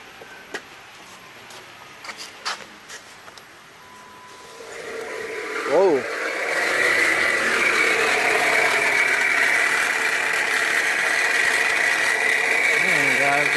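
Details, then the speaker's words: Small Jeep with 2.4 engine (possibly Patriot or Compass), with a power steering pump recently replaced elsewhere: after start-up a steady, gritty high whine over idle. Extremely hot alternator failing internally with very loud bearings, a known problem on these. "alternator is coming in part internally the bearings are extremely loud uh pretty much a known problem with these"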